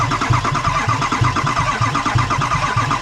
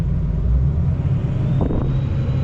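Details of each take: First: 2003 Ford F350 6.0 Powerstroke diesel no-start: cranks with a heavy rhythmic thump each turn, pauses, cranks again without firing. Owner suspects a bad lifter and a failed low-pressure pump, possibly needle-bearing damage. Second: 2003 Ford F350 with a 6.0 Powerstroke diesel, idling with injector control pressure around 666 psi, then raised to 2000 rpm where it jumps over 1000 psi: a deep, even rumble with no knocks or misses. The high-pressure oil pump is working.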